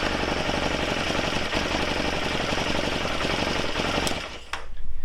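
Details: Honda XL250 Degree motorbike right after replacing worn starter motor, in neutral; new starter spins hard and fast with dense rapid chatter, single catches cleanly, better than before; normal starting.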